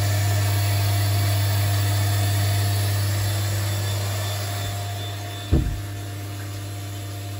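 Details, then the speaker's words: Stuart Turner Mainsboost water pressure booster pump run with the cupboard door shut, recharging the vessel: steady low hum that quiets partway, one brief clunk, then the pump stops once the vessel is recharged; normal quiet running. "you can hear that that's recharging the vessel because we shut the time and that sound with the door sure once the vest was recharged the pump stops"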